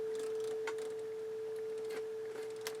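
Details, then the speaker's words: 1981 Realistic STA-2250 receiver with speakers and a tone source: steady test tone with background hiss and scratchy crackle bursts breaking through; very dirty controls. "very dirty controls phonal stage you can hear the hiss the background hiss but some signal bleeding through"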